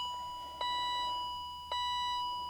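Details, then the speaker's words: 1997 BMW M3, 148,850 miles, key in auxiliary position in cabin: clear chimes about a second apart, each ringing and fading, repeating without stopping; persistent warning chime. "so I was hoping that binging was going to stop, but it doesn't. It just keeps going and going."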